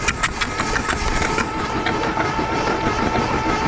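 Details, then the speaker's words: 1982 Dodge Charger 2.2 non-interference engine, sat unregistered since 1990, cranked with spark plugs removed: starter spins quickly and evenly, no compression pulses or catching; normal. "So, I'm just going to hit the key and see what happens. Okay, nothing happens. Oh, there it goes."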